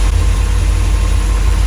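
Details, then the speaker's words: Lotus Elite revived after ten years in a barn. Still cold, with fantastic oil pressure and charging. A deep, even idle with a steady beat and no knocks, misses or ticks. "How smooth is that? The old pressure's fantastic, it's charging the battery."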